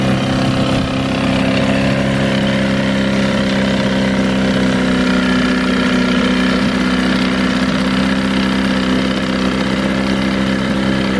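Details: 1961 Mercury Mark Super Hurricane (Merc 200) outboard running after a water pump repair and a new gasket fitted the right way round: a steady, even idle with no knocks or surging.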